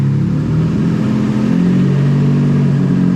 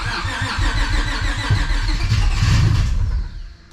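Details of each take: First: Honda Civic hatch with nitrous stroker V6 swap on new ECU base map, later start: even, steady, relatively low idle with smooth drone, no stumbles or knocks, much better than the earlier high idle; running cleanly. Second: Civic with nitrous stroker V6 swap, new ECU with base map tune just loaded, battery slowly dying: uneven cranking about 3.5 beats per second with cylinders trying to fire, never starts. Owner suspects the base map.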